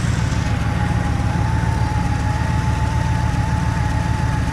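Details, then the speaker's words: Old truck on spring start-up after sitting five months, smoothing as it warms; low idle rumble with a thin constant whine and an uneven beat; owner suspects a loose motor mount or a bearing, leak seen on one side; abnormal engine noise at idle. "the loose border mount sounds like a bearing oh maybe the leaks yeah it leaks on this side"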